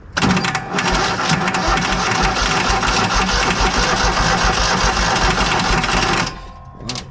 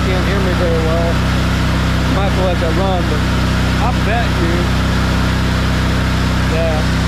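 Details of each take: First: Kohler engine on a Hobart 10,000 W welder generator after carb cleaning, primed with carb/choke cleaner: ragged, uneven clattering with irregular bursts and stumbles; owner suspects bad old gas, possibly with water, still in the tank. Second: Kohler engine on a Hobart 10,000 W welder generator after carb repair and old fuel pump refit: steady, even drone at constant governed speed, no surging or misses, left running to heat cycle; owner suspects earlier replacement fuel pumps.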